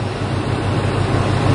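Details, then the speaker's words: 2002 Ford Expedition XLT 5.4L V8 at idle: uneven, lumpy low rumble, a rough idle with a slight exhaust leak heard. It also hesitates on acceleration; the cause is not yet diagnosed. "yeah it is definitely idling rough"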